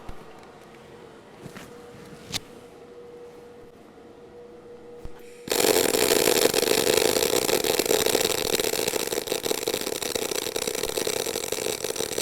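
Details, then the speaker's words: Eastwood mp250i multi-process inverter welder in MIG mode with inductance turned all the way down, giving higher short-circuit frequency: after the hum, a harsh fast crackling arc with busy sizzle and spatter pops. "so what I'm going to do is I'm going to turn this thing all the way down inductance down means frequency higher so more frequency yeah more frequency of the short circuiting of the arc itself"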